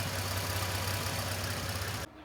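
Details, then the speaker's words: Nissan D41 Frontier idling after a Z1 Off-road oil catch can install: a steady, even low hum with no knocks or popping. Owner hears a possible faint hissing but found no leaks after checking and one rev; install considered successful. "Sounds like it's making a small hissing sound, but I just checked everything before I started filming again and I might just be hearing things, but there's no leaks."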